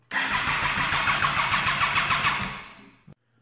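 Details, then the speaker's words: Wrecked Triumph Daytona 675 being rebuilt, new fuel line and Power Commander fitted, fuel pump primed, in neutral, battery possibly low; starter spins in quick even pulses about three a second for nearly three seconds, nearly catches but no start. "All right, let's try this again. Fuel pump priming. She's in neutral. Oh. So close, so close."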